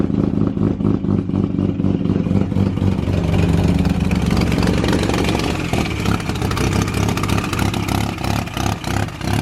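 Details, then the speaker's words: Mazda FD RX-7 bridgeported rotary, first start-up, cold start in about 40° heat: loud choppy burble settles after a rev and idles on its own without stumbling; a bit rich but not excessive; normal idle. "yeah it's Rich ASU it's not too bad though it's not excessive oh I I suppose it's a cold start too"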